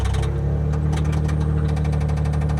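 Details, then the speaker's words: Chrysler LeBaron turbo woody, salvage rebuild, running at auction: heavy rapid knocking on low idle deep in the block; rod knock, briefly doubted as transmission. "Is that the transmission that's making that noise? No. No. It sounds like a rod."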